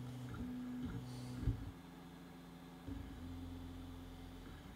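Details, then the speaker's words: Artillery Genius 3D printer, new out of the box, printing with the hot-end cooling fan not yet running, mic set down by the printer: soft stepper-motor hums shifting in pitch, no grinding or clicking; normal, very quiet printing. "Can anybody hear anything? That is one quiet printer."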